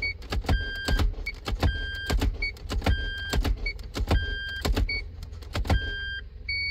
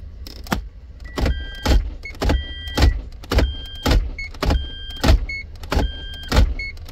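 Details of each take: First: Toyota MMT (Aisin semi-automatic gearbox, P0810) clutch actuator after clutch replacement and grinding of the bush, real-time test: short motor whirs with soft clunks about once a second between chimes; clutch pulls very easily, actuator working normally. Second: Toyota MMT semi-automatic gearbox, P0810, clutch actuator previously repaired: short whirs in quick pairs while the selector is cycled to reverse in clutch current graph mode, with current readings around -19 to -20; suspected clutch bushing fault, not the actuator.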